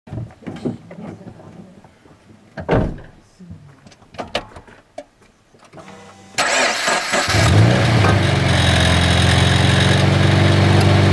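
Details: Toyota 86 / Subaru BRZ, about 7 years old: squeaky metallic rattle from the exhaust pipe near the catalytic converter at engine start and when revving. Two bolts securing the pipe had fallen out, leaving it loose; the noise was gone after new bolts were fitted.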